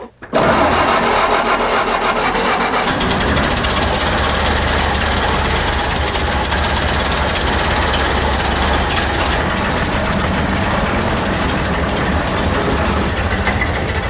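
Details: 1932 Ford Model B pickup, stock, parked 25 years, after confirming spark and turning on fuel: catches after a brief crank and settles into a steady, rough-edged run with no loud knocks.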